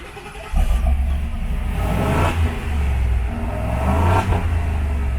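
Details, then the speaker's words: Ford 7.3 V8 in a base single-cab 4x4 truck, bone stock: deep, even rumble, three clean throttle blips rising and settling smoothly with no knocks or rattles; healthy. "That's how it sounds, bone stock. You can hear the beast within as soon as we get rid of all that bullshit under there."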